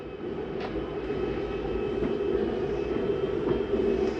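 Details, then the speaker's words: 2023 Jayfeather 30QB travel trailer slide-out retracting via the J-Command panel: steady electric motor drone with a few light clicks as the room comes in and stops, the mechanism signalling it is done. This is normal retraction. "And again, you hear the same noise. That's just the mechanism telling you that it's done."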